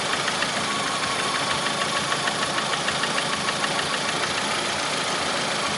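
Steady idle with a fast, fairly even light tapping riding on top, about three raps a second; knock source unconfirmed.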